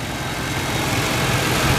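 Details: 1989 Chevrolet Caprice Brougham LS: steady, even low rumble, smooth idle with no knocks or misses; engine sounds healthy.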